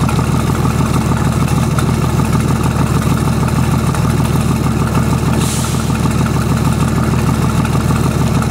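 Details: VM/BMW D190 marine diesel, first start after rebuild following a broken valve, with liner, piston and head from a VM 2.4 litre: heavy, lumpy thudding idle as air is drawn past a leaking front shaft seal on the injection pump.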